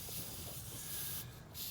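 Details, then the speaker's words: Mitsubishi Eclipse GST, freshly built engine with new intake: steady faint airy hiss with no rhythm, air drawn through a cracked old rubber vacuum port on the throttle body, causing idle surge; to be replaced or sealed. "So when I did hook it up, right away I did hear a leak. I don't know if you can hear it. But yeah, it was coming from this port."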